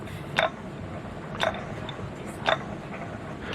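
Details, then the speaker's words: 1922-23 M-type treadle lathe turning phosphor bronze stock, new synthetic belt replacing leather: sharp light click about once a second over the quiet turning lathe, the belt joiner passing over the pulley. "the clicking you can hear is the Joiner on the Belt"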